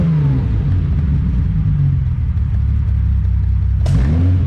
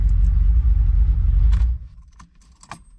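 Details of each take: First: 1972 Ferrari 365GTC/4 just revived after a carburetor fault, ice cold, no choke, stale fuel: slow lumpy idle with occasional pops, then a couple of throttle blips that rise and fall. Expected to pop and spit until warm. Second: 1972 Ferrari 365GTC/4 V12 non-runner, first start attempt after checking all the carburetors (all squirting, fuel rail filled): deep rumble as it catches, runs about 1.5 seconds and cuts out. Fuel delivery through the carburetors was the fault.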